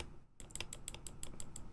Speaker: We are currently going to be doing the stabs on the Neo Ergo because they are ticking.